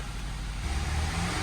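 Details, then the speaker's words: 2011 Nissan Rogue with bad head gasket, after reseating a coil pack that was not fully plugged in (cause of rough idle), water blowing from exhaust; smooth, steady, even low rumble with no stumble or miss: normal running. "oh that's running much better now just a little coil pack"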